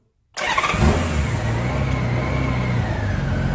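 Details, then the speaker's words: Honda GL1500 Goldwing after carburetor reinstall, idle set to about 850–900 rpm: starter catches quickly, brief rev, settles to smooth even idle; no leaks, running right. "There she goes. Settles down. Alright, now that you got the bike running, it's all good, no leaks. Everything seems to be just running just right."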